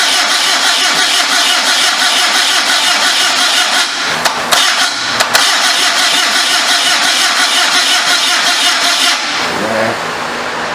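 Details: 1974 Datsun-engined homemade motorcycle trike at first start: starter cranks steadily with pops through the exhaust but never catches; iffy twin-throttle-blade carburetor with one side not opening, possible vacuum leak or compression issue suspected, unconfirmed.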